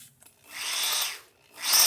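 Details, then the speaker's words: Hammer drill in hammer mode, used for drilling into walls with a hammer-drill bit, giving a clattering hammer sound unlike rotary mode: two short high-pitched bursts spinning up and down with a faint rough edge. "틀리죠. 따다닥 소리가 나죠. 그러니까 이렇게 할 때는 한마디를 벽을 박을 때는 한마디를 쓰시고,"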